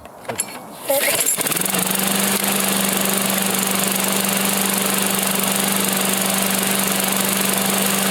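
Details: After a short start-up, a Briggs engine on a Husqvarna settles into a smooth, even drone with a steady tone and no misses or knocks, after freeing an oil-varnish-stuck intake valve and lifters from never-changed oil; runs healthy.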